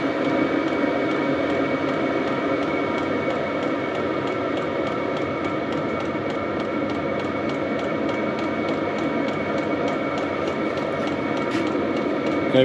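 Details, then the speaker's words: HCalory diesel air heater in a tool box, heating and putting out some heat: steady rushing fan roar with a faint, even ticking of about three per second from the fuel pump. Normal running. "have a little bit of heat coming out it still says it is Heating"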